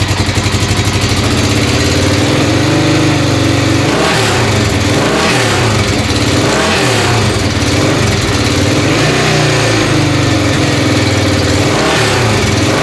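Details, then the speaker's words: Motorcycle engine just assembled from used parts, started first kick: rough, uneven running with light ticking over the engine beat; valve train likely needs adjustment, suspected right front. "thank you sounds like I need a valve adjustment sounds like the right front"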